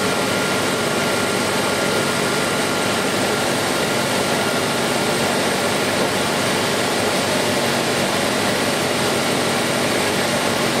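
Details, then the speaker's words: Ford EEC IV V8 after a new distributor was installed to cure a #2-cylinder misfire and intermittent misfires: a steady, even, smooth idle with no stumble or skip; no misfire. "again you hear how nice and smooth this is running"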